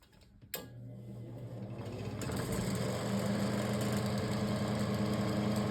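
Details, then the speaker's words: 12-inch Wizard table fan, before painting and balancing. Spins up into a coarse steady mower-like buzzing rattle; out-of-balance blade makes it swing and shake the housing, though it still runs. "It sounds like a lawnmower when it's on because of the rattling that it has, but at least it still runs."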